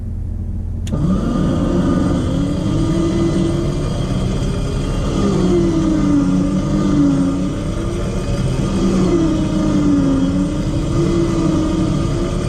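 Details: 12-volt winch motor on 12 volts, first test, straight pull on flat ground from the car: steady motor drone dipping and recovering slightly as load shifts, no grinding or chatter; about 31–32 seconds, normal pull.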